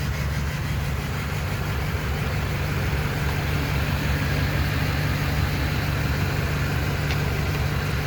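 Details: Duramax LMM diesel, cylinder 7 misfire: low diesel rumble with an uneven, loping beat where one cylinder keeps dropping out; cause not yet pinned down.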